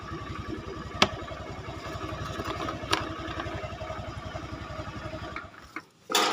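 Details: Honda Scoopy carburetted automatic scooter whose starter only clicked: clean, steady idle pulsing evenly after the start, no clicking from the starter; starts and runs normally.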